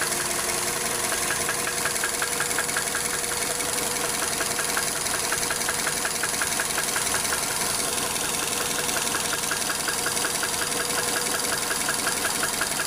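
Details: Steady idle with a sharp, even metallic knock almost twice a second: rod knock from spun bearing shells.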